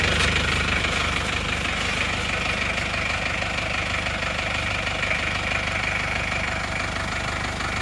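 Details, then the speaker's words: Isuzu Panther 2.3 diesel after repair of heavy blow-by and oil use, warm with thermostat fitted: even, fast clatter at steady rhythm, no stumbles or surging; exhaust clean at idle, normal idle. "Sudah aman Alhamdulillah asap kenapot juga sangat bersih ya teman-teman ya lihat di pada saat stasioner ini knaponnya tidak mengarkan asap jos"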